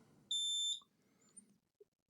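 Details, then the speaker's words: Lenovo V15 laptop with no power, input-circuit MOSFET has a hole in it: multimeter continuity test gives a single steady half-second beep, showing a conducting path and a short, probably on the other side of the board. "so probably uh on the other side of the board we have some fuse because uh yeah you can hear the beeping"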